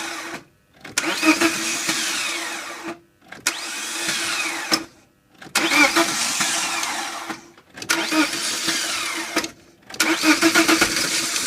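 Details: 1998 BMW 318ti with an M44 engine: five bursts of about two seconds of starter cranking with pauses between, and the engine never catches. Hard-starting fault of unknown cause.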